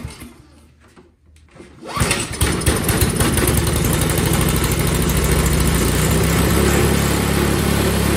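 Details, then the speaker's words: Craftsman single-stage four-cycle snowblower, carburetor reinstalled and bad gas drained: after a short crank it catches and runs with an uneven hunting beat, starting and dying, running only with constant priming; typical of a very dirty carburetor. "as you could hear it would start and die start and die the only way i could even kind of get it to run was to actually hook a prime bulb to it and just keep priming it um this is very typical with carburetors that are that dirty"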